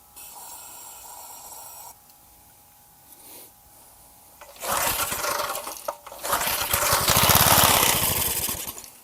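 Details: Garage-sale gas edger, choke on, after a carb-cleaner attempt: two pull-starts give a quick chuffing that never catches into a steady run. It cranks but won't start, and the carburetor is then removed for cleaning.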